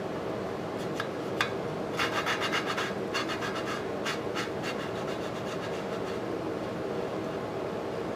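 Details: Lapping a valve on an antique Briggs & Stratton 5S engine (motorized scooter build) with coarse compound: sharp, consistent gritty back-and-forth rasping in short strokes as the compound cuts the valve seat well.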